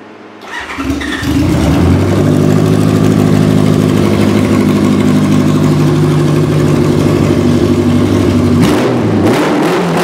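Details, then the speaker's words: 1986 Honda Goldwing Aspencade bobber build with new timing belts, after sitting for years with carbs not gone through, Seafoam added: catches quickly, steady even idle with deep loud exhaust burble, no knocks or misses; normal start and idle. "bike runs great uh it's been it sat for quite a few years so it's you know I didn't go through the carbs or anything"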